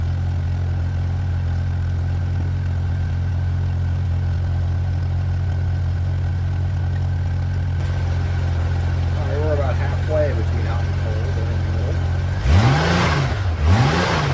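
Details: 1994 Honda GL1500 Goldwing Aspencade, first start in two and a half years after aftermarket fuel pump replacement: steady, even low idle hum, no knocks or misses, then two quick throttle blips rising and falling cleanly; engine runs healthy.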